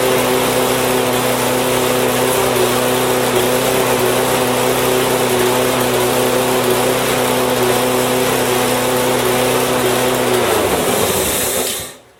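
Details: Husqvarna lawn mower with Honda engine after a no-start fix and refuelling: steady, even single-cylinder drone at a fast, constant pace with no misses or surging, then a clean shutdown. Normal running.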